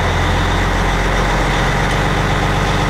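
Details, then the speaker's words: Diesel truck after water pump replacement, cold, idle raised to about 800 rpm; oil pressure won't exceed 49, owner suspects added Lucas additive. Deep, steady clatter with even rhythm, no misses or knocks; normal raised idle. "I'm going to set my idle up to about 800 that should raise that oil pressure up to around 60 I would think"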